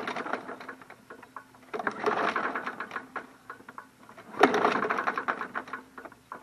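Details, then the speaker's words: MTD Yard Machines 21-inch push mower, curbside find, dirty oil: two pull-start bursts with a loose metallic rattle, seems to have compression but no firing; won't start, possibly shot. "I think it's shot guys I hear something rattling there but it sounds like it had compression though that's weird huh this one might be a goner too"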